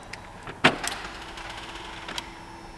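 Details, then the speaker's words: Smart car that won't start despite a new battery and a booster, immobiliser ruled out: a single sharp click with a faint relay tick and no cranking. "Ei lähe. Ta tänaga ei lähe. Ainult lõpsub."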